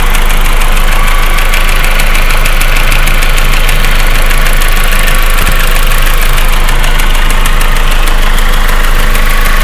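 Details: 1.8T petrol engine at cold idle with a fast, steady light ticking, about four ticks a second, that gets quieter after a few minutes and is gone once the engine is warm.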